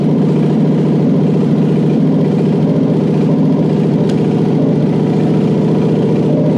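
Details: Toyota 1UZ-FE non-VVTi V8 with an immobilizer ECU bypassed and the fuel pump wired to permanent battery power: steady, even idle with a smooth low rumble and no misses or knocks; the engine runs properly.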